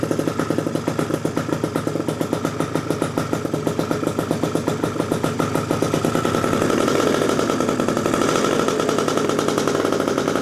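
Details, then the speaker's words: Freshly built PM Tuning 172cc Gilera Runner two-stroke Piaggio scooter engine, barely warm at about 100 degrees, coolant not yet bled: crisp, even ring-ding building slightly as it warms, steady firing with no misses; healthy idle. "But it's running good, boys. It sounds perfect."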